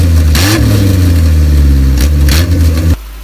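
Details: Isuzu Rodeo 4ZE1 after top-end rebuild: firm, even idle with a quick rev that climbs and settles cleanly, running on all four cylinders; slight fire possibly from ignition timing, compression still to check; normal running.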